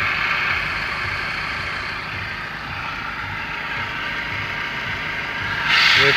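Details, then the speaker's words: Maruti Brezza at about 85,838 km: steady hiss with faint continuous whine over low idle rumble, owner says noise comes from the fan belt area, radiator fan off; unusual noise throughout the car, cause unknown. "मेरे आवाज़ fan band में आ रही है कार के। देख लेना भाइयों ये आवाज़। अलग सी आवाज़ आ रही है पूरी कार में।"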